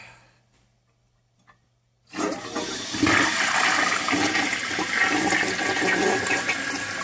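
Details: First flush of a just-installed 1958 Canadian Standard Cadet toilet with a regular flapper: a quiet hiss, then a strong rushing flush settling into even refilling with no gurgle or sputter; flushing normally with no leaks seen.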